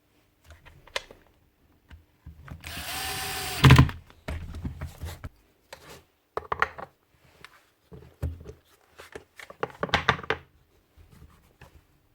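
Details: Repaired grinder after a glue fix: short even whir spins up and winds down between handling knocks, no grinding or rattle; field not burnt; normal run.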